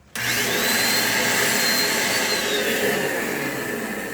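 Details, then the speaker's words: Philco Premium portable stick vacuum, motor running: a harsh, rough high whine with a wavering shriek instead of a smooth hum. No burning smell. "a cliente trouxe para cá falou para mim que ele está com um barulho muito estranho no motor realmente está"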